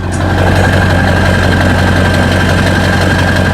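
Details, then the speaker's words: 2000 Ford F-250 4x4 7.3L turbo diesel, recorded at the exhaust side: deep, loud, steady chug at idle with a faint turbo whistle, even rhythm and no knock; a healthy engine. "It just sounds awesome, guys. Honestly, it's a really cool sounding truck."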